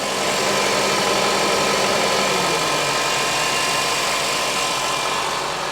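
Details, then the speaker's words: 2007 Honda CR-V running with AC switched on after belt tensioner replacement: steady engine hum, no rattle, squeal or AC clutch knock; noise appears fixed, AC clutch suspected if it returns. "turn the AC [Music] on I think it may have fixed it I don't hear nothing"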